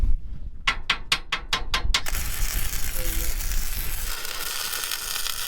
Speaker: it sounds like it's not real spattery like it sounds pretty smooth